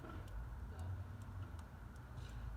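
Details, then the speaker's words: Idler pulley spun by hand, engine off and belt removed during harmonic balancer install: faint sharp clicks every 0.4 s and some play; idler bearing worn, to be replaced. "now this bottom one you see how that spins freely that's going to need to get replaced you hear that clicking now that's already on its way out"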